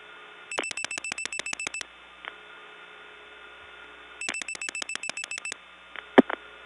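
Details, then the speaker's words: 1979 Gainesville GA step-by-step tandem, dialing 00 hoping for a vacant level after reaching Dawsonville: rapid pulse-dialing clicks in two bursts, then hollow line with faint stray click; call stalls on a bad link, suspected back on Dawsonville incoming selector. "Now that sounded again like one of those bad links. I bet you I'm back on the Dawsonville incoming selector."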